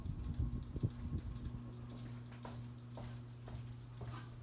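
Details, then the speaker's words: Old ceiling fan at a grandmother's house: quiet steady low electrical hum with faint uneven rubbing ticks; motor hum and an odd-sounding bearing, possibly wearing out. "It does have a bit of a hum to it, and that funny bearing"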